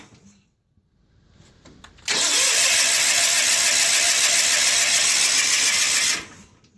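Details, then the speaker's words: John Deere 316 lawn tractor: both plugs gapped and sparking, oil present, air cleaner off and a little gas dribbled into the carb. Starter spins it steadily for about four seconds with no firing: cranks, no start. It started after more gas was poured in. "Well, that's disappointing. Let me pour a little more gas in the carbon. Let's see if we can get it running."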